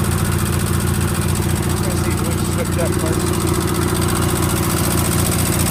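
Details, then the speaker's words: Sears GT18 garden tractor idling in snow with plow attached: light, quick ticking over the beat from the left intake valve having too much clearance; valve not yet replaced. "if y'all hear that ticking i know what it is i know i've heard people ask me about the house at the house but it is uh i know which valve it is it's the left intake valve it's got too much gap in it"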